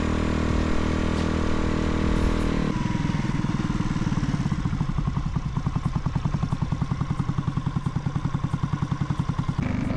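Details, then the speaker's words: Riva 125 scooter on its first ride after a Gensuki build, pulling away and wanting more: loud but even exhaust beat rising smoothly, no misses or rattles, surprisingly smooth; normal exhaust note while riding. "This thing is surprisingly very smooth. Loud, but it's not like a obnoxious like loud. It's just like, I don't know, it sounds good."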